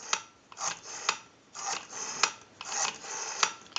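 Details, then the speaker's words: Western Electric 323 candlestick rotary telephone under repair, dial checkout on analyzer: crisp wind-up then even run of ticks as the dial spins back at steady speed; smooth, healthy rotary return. "have a nice smooth return on the rotary"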